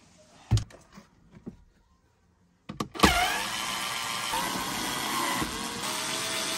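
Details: Skoda Fabia 3 dashboard: a few dull knocks from the fresh-air flap actuator behind the dash, then the blower comes on with a steady rushing hiss; noise analysed and repaired.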